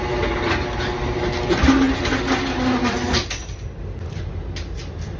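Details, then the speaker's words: Garage door opening and closing after replacing steel rollers with nylon sealed 6200ZZ-bearing rollers, before lubrication; smooth even rolling rumble about three seconds, no scraping or clanking, much quieter, normal operation. "so as you heard it's much quieter now"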